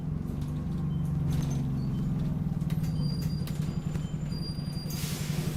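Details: Refurbished Optare Solo bus YJ12GVV on route 309, steady diesel drone with a thin high squeak chirping on and off while driving; source not pinned down.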